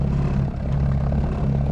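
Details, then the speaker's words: Trolling motor on a 16 ft boat, new bow mount; the bow rides high so the prop blows out of the water, giving a low motor hum that surges and churns unevenly as the prop ventilates and sucks air. "See now how it's blowing out of the water. You can hear it."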